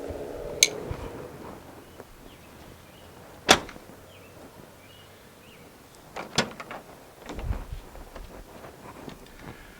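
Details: Dodge Ram 4th-gen door after fixing the squeak by reseating and oiling the check roller in a notched slot; it swings and latches with only soft clunks and clicks, no squeak.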